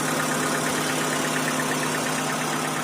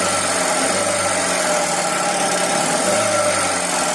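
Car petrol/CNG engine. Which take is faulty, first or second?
second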